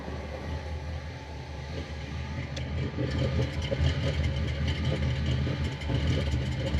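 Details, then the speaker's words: Chevrolet Monte Carlo at rear tailpipe: low rumbling idle with irregular puffs and stumbles, started after intake swap; vacuum leak suspected but owner found none, including modulator. Exhaust sputter at idle, cause unconfirmed. "it never spotted like that until I swapped the intake"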